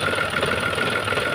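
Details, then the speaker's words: Renault Triber, cold idle after cylinder head work, engine misfiring, code P0016: quick regular rattly knocking with clutch released that goes quiet when clutch is pressed; clutch rattle at idle, expected to stop once warm. "दबवाप छोड़ो आ तो clutch में भी दिक्कत है इस गाड़ी के दबाओ क्लच क्लच दबे दबे में कितना शांत है इजन छोड़ते क्लच के आवाज कर रही है"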